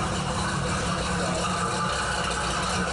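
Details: Jeep with old Carter carb, first run in three years, no alternator fitted, idling in the shop at night: steady, even low rumble with no knocks or misses; running healthy.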